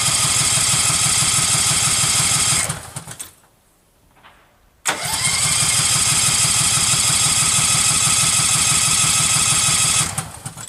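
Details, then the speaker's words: Case 446 tractor at its first start after restoration, freshly wired, choke pulled, with fuel reaching the filter: steady, even cranking that never catches. The owner suspects no spark; the cause is not confirmed. "crap sounds like a spark problem like I'm not getting any spark"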